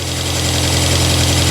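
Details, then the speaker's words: 1997 Rover 200 vi just after head gasket replacement, some bolts still missing: smooth steady four-cylinder idle with no ticking, misfire or roughness, oil and dirt burning off the exhaust; normal idle. "sort of oil and dirt burning off the exhaust but other than that we've got a nicely running case here is there oh good amazing"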